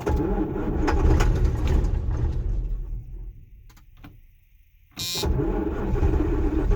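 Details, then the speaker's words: John Deere 6620 Sidehill combine, diesel, not started in over a year, cranked in neutral with ether sprayed: steady heavy starter churning at about four beats a second, fading as the battery sags then resuming, no firing; long crank, no start yet. "I had to crank the battery a lot to get it moving. It hadn't started in over a year, so it's a John Deere Sidehill 6620."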